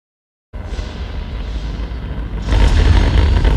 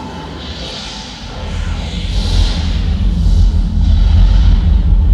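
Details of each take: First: B&W subwoofer bought in 1999 playing explosion-like low-frequency content: deep rumble with a gritty buzz on the bass, before opening for repair. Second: B&W subwoofer bought 1999, after opening and repairing rattle with a 24-hour cure and reassembly: deep heavy movie rumble plays clean and solid, no buzzing or rattling on bass.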